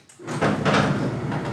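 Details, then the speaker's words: Tilting garage gate with 20 years of use gives a harsh scraping groan with rough knocks as it opens, after the lock sound, from worn, unlubricated lifting-arm pivots. "ó esse som é decorrente do desgaste do braço a braço que levanta o portão e deixa ele no fim"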